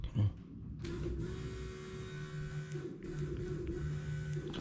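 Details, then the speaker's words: Renault 5 GT Turbo van, newly wired fuel pump tested from a battery with a live wire and ground. A steady low whir with a faint hum runs evenly for about four seconds; the fuel pump works normally. "don't know where you can hear that but it works I don't know why I was thinking it wouldn't work"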